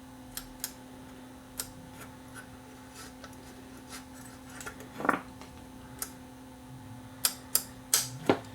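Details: Marconi 238 vintage tube radio under repair: steady low hum under scattered clicks and handling taps, set putting mains hum through its output; owner thinks it sounds like the phono input; cause not confirmed.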